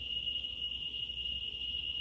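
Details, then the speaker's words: Analog Geiger counter on ×100 scale, probe about an inch from autunite uranium ore then closer: clicks merge into a continuous high-pitched tone with no gaps; counter overloaded beyond 500,000 counts per minute. "So we're over 500,000 counts per minute. So that's more than this unit is actually capable of detecting due to the analog scale being limited to 500,000 since we're on the ×100 scale on the rotary switch."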